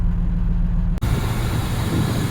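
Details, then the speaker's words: 2001 Ford Expedition engine idling smoothly and evenly with no misses or knocks after a no-crank no-start was fixed: the dead starter solenoid was replaced and a taped-together battery terminal connection was repaired. Normal idle. "So the new one definitely worked. It's connected properly. And we're back on the road."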